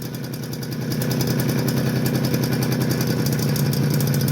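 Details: Suzuki LT50 two-stroke idling with loose, uneven popping about 214 a minute, weak breathy beat; starts fine but bogs and cuts out after minutes when warm, smokes; low compression suspected, crank seal replaced, fix unsuccessful, possibly needs rebuild.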